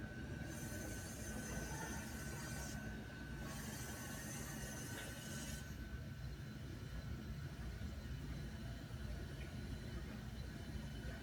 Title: Start Up Of Rheem A/C Blower Uint | Loud Noise On Start Up